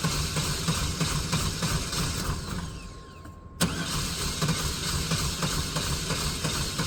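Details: Neglected OBS GMC/Chevy V8 truck just started after long storage on old gas: lumpy, uneven idle beat with a stumble midway; it is not running on all eight cylinders and is left to settle.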